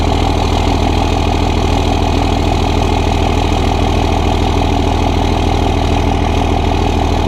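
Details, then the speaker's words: 2001 24v Cummins diesel with HY35 turbo after Banks cold air intake install; deep, even diesel clatter with no knocks, turbo now more audible on throttle than with stock intake; normal running. "I can definitely hear my Turbo now once I put my foot on the gas"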